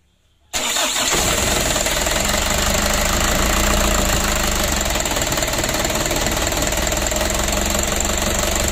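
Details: Ragasa 120 PS diesel after repair of a leaking injector nozzle seat (old Dextone glue removed): cranks and catches at once, then settles to a steady, even idle with normal clatter and no misses; leak gone.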